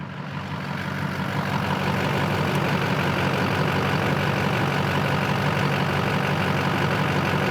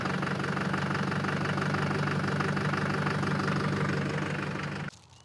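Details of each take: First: 2004 GMC Sierra 3500, LLY Duramax V8 diesel, after a new injector connector pigtail was fitted for limp mode codes P0202/P0207: steady, even diesel idle clatter with no stumble, surge or hunting; no limp mode. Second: 2004 GMC Sierra 3500 LLY Duramax V8 before repair: the cylinder 7 injector harness is shaken until it loses contact, dropping the truck into limp mode. A rough idle with an uneven knock about three a second, then shutoff. Injector circuit fault.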